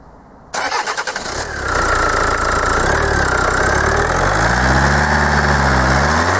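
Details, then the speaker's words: Kia 2.0 CRDi Bosch common-rail diesel, hot engine, after fitting a second, known-good solenoid valve: cranks and catches, then a rough idle with a hard, regular knock about four per second returns; cause still unknown. "Słuchajcie dopadła mnie jakaś klątwa drugi elektrozawór podstawiony który klepał tłuk się no kurczę Zaczyna się drugi tłuc"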